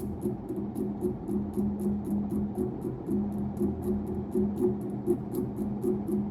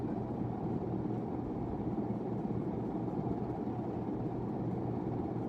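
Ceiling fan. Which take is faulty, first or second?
first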